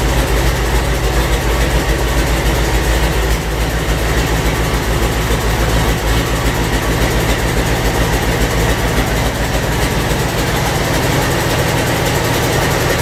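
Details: Land Rover 300Tdi diesel destined for a Ferguson TE20, test-run with 24-volt starter and 12-volt fuel solenoid: loud, even, unmuffled clatter at steady idle with no misses, running cleanly with no exhaust.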